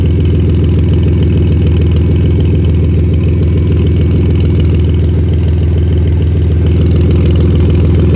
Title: Exhaust leak